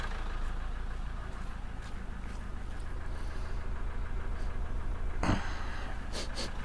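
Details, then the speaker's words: Land Rover Defender 110 with replacement Ford 2.2 TDCi diesel, running rough and smoking: low uneven loping idle, galloping as if one cylinder is dead; diesel out of the exhaust; misfire suspected, cause not confirmed. "so we're assuming it's a missing a cylinder it sounds like it's missing a cylinder"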